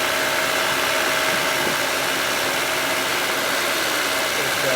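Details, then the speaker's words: 1996 Honda Civic 1.6 idling warm after fixing the radiator fan thermo-switch 2-wire harness connector; fan turns on again with an even whooshing rush, no rattle or scrape, normal cooling fan operation. "if we idle it again uh here we um idling again the thing we turn on as we idle and the [Music] temperature here's the fan as you can see the fan now it's turning on"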